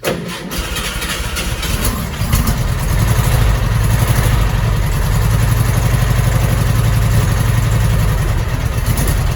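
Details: 1955 Porsche Speedster, cold start after sitting three weeks, starter recently rebuilt with added 6-volt relay: steady even low thrum with fast regular pulse, no knocks or misses; normal cold idle.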